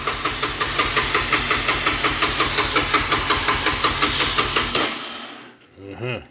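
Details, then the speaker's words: Honda FourTrax ATV after new handlebar switch and parts: steady starter churn at nearly three compressions a second that never catches. No spark; open stator winding suspected first. Crank no-start. "okay let's check for spark I guess mhm okay that could be the problem uh check the stator number one"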